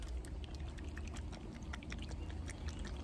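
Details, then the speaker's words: 70/10 µF dual run capacitor from a central AC unit, testing good at 70.5 and 10.1 µF, is shaken and gives a faint liquid slosh; oil loose inside, so replacement is recommended. "that if you hear the oils inside your dual capacitor like that even though it's still good you need to recommend replace it"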